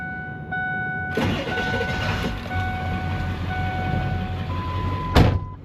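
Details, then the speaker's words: 2001 Ford Excursion Limited 7.3L Powerstroke diesel 4WD, 142k miles, newer batteries, glow plug module replaced, already driven so engine warm: short crank, catches right away and settles into steady diesel idle under chime tones; normal warm start. "All right, let's start it up. Not a cold start, as I have already driven it over here today."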